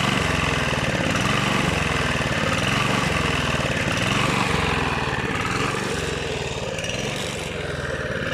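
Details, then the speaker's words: Rebuilt Honda GV150 engine (transmission still disassembled) chugs with a lumpy, uneven beat and wavering speed, sagging toward the end; owner suspects ignition, coil, unreplaced spark plug, or the fuel filter. Cause unconfirmed. "après il ya peut-être de filtres à essence peut-être un peu poussé"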